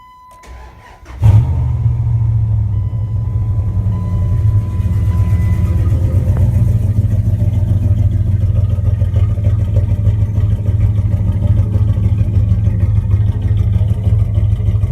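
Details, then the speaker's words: 1998 Dodge Ram 5.9 Magnum V8 with all valve seals replaced, cold start after sitting three days: it cranks briefly, then idles lumpy with a faint stumble and is expected to blow blue smoke; plenum gasket or piston rings suggested as possible causes. "I haven't started the truck all weekend it's been about three days and I'm gonna start up for the first time now and it's going to blow some blue smoke"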